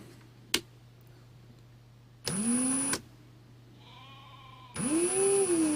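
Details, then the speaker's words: 2017 Ryobi R18PD7 brushless drill at low trigger setting: short strained bursts with wavering whine before abruptly stopping, needing trigger release to reset, gearbox sounds strained; drill cutting out intermittently. "No, see, it's only done it once that time. And sometimes I can do it 2, 3, 4 times in a row."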